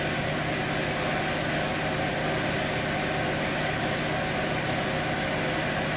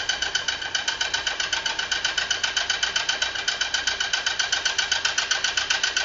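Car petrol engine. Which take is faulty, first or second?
second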